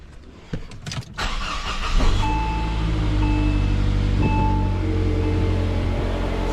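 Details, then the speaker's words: Saab 9-5 after replacing engine mount and leaking timing chain tensioner seal: short crank, then smooth even idle with steady hum, no rattle or knock now jack is removed; normal idle. "sounds like a Sab to me guys no more rattling since uh we got the Jack from underneath the engine so yeah that's cool"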